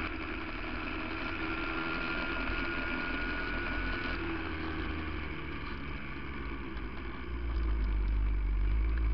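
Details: 1982 Yamaha 175 two-stroke dirt bike with new sprocket and chain, started with fuel turned on. Crisp, steady buzz with even firing that picks up cleanly at the end; normal two-stroke running.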